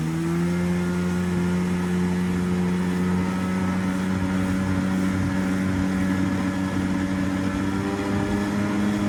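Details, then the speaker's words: 1996 Tigershark jet ski two-stroke, revived from non-running, warming at idle from a cold start while cooling water lines are checked. A steady burble holding an even pitch with no misses, surges or knocks: a normal idle. "So, I'm going to crank it. I'm just going to let it idle for a while."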